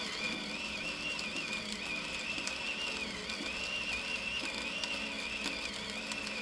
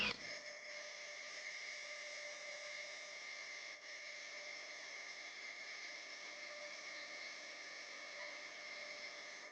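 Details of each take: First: Femobook A2 coffee grinder grinding light-roast beans at Turkish/espresso fineness: grinding chatter with a whining motor sagging from about 60 to 40-50 rpm on tough beans, but never stalling. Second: Femobook A2 coffee grinder grinding 10 g of light-roast beans at Turkish-fine size: steady high motor whir dips from about 60 to roughly 40–50 on hard beans but pushes through to auto cutoff without stalling.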